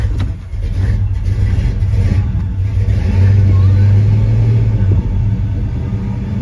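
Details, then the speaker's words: 1971 car, likely an old V8, fires up instantly after the battery got a quick charge at the parts store. It catches and settles into a deep, steady rumble with one smooth rev swell: a normal, healthy start. "that's just me not coming out here messing with it but it really like it'll fire up with no problem"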